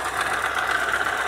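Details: Opel Astra F 1.4 8v Si, engine C14SE, running: harsh whirring with fast rough knocking over the idle, seeming to come from the bottom of the engine; cause was a failed coolant pump, and the engine ran quietly after replacement.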